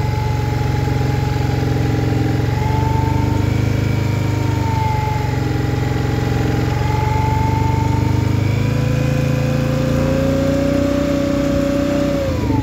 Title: Scrambler XP1000 S weird noise 3